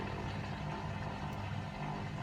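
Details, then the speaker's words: Hotpoint WMA50 washing machine, fast wash with 10–15 kg heavy chains, after final spin: steady low electric hum of drain pump still running normally, no knocking or grinding. "There we go. So you can hear it's still pumping."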